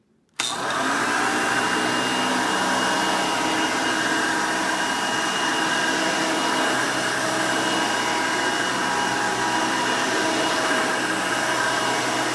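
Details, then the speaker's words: 1990 Hoover Elite 200 U4467 upright vacuum, 5-amp direct-air motor: loud steady high-pitched whir with even airy rush, no surging or rattle; motor runs normal. "etty loud when it's running but since this is a lower 5 amp motor and doesn't it doesn't produce as much noise as a later 7 amp version would but it's still pretty loud though but it's not that loud"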